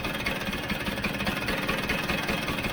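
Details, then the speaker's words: Vespa GS150 two-stroke, warmed up, cowling off, after carburettor adjustment: a steady, even tick-over with a light buzzy rasp, no hunting or dying away. The idle is not hanging, settled and healthy. "i'm quite happy that that's kicking over it's not hanging"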